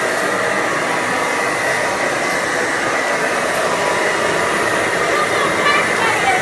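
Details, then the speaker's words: Hoover model 450 upright vacuum (1933–1935, 290 W motor, small beater bar, original cable) running: steady whirring motor and fan hum with no change in pitch, but it leaves debris unpicked; poor pickup traced to worn brush roll bristles. "Left some wide. I'm going to do some more. It's left it. It's not even picked up."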